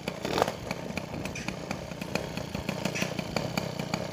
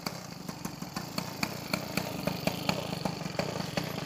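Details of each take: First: Peugeot 103 SP two-stroke moped with newly wired MVT digital ignition, first start, warming up: buzzy engine holds a high fast rev with sharp ticking instead of a settled idle; cause unknown. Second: Peugeot 103 SP moped with a newly wired DD ignition, first start: the two-stroke buzzes with quick, fairly even pops and a steady exhaust note, starting well and warming up.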